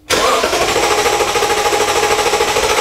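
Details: Engine cranks but will not start, being tested with homemade spark tester on a coil: steady, even starter cranking with no firing; spark confirmed present, fuel system next to test with starting fluid.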